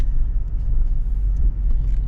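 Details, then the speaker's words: 2005 Chevy Trailblazer with a misfire that returned after new spark plugs, after repair: low even rumble, smooth quiet idle with no misfire felt; check engine light off for now. "so we're not feeling a mire anymore the check engine light is off for now so the engine's quiet everything is running"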